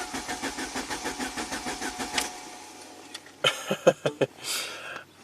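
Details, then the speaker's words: '93 Saab 9000 CSE Turbo, dead for 6 months, with its water-flooded original ECM; the fuel pump runs but the crank sensor signal is erratic; starter spins evenly for two seconds without firing; crank, no start from the failed ECM. "okay that shuts off turn the key back on so fuel pump kicks on smells like fuel ckp is doing weird weird stuff let's crank"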